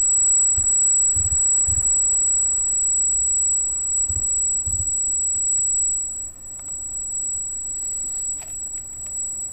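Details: Freshly installed Arris CM2000 brushless gimbal holding a GoPro Hero with FPV cable offsetting the balance: thin very high-pitched whine steady throughout, with some bumps and handling; brushless gimbal motor whine the owner considers part of the setup.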